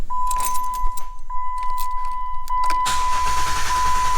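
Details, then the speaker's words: Jeep JK 3.8 cold start with throttle held flat to the floor: starter keeps cranking without catching as the ECM enters clear-flood fuel cut, avoiding timing-chain cold-start rattle; normal behaviour until foot lifts. "and it will not start just keeps turning over until you take your foot off and then she fires up so what's happening there um is hold on you don't have to hear the thing in what's happening there is when you put your foot down at 100 throttle the ECM goes into a unflooded fuel situation so it'll just let the engine tur"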